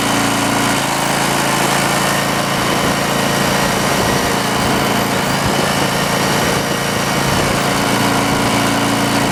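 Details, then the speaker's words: Auction 5000-watt Green Lee generator, missing its air breather, muffler hot, powering a plugged-in load: a steady, even drone under load with no misses, surges or knocks. Normal running, with more power than the owner's other generator. "well it's hard to argue with them results run both not even notice it won't so yeah pretty happy with that definitely puts off more power than that other one"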